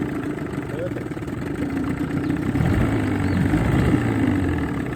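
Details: Johnson 20 outboard in a bucket of water on the old fuel system, after a new water pump, head gasket and water cover gasket: low, buzzy, fairly steady idle that firms up slightly, with no knocks. Running normally.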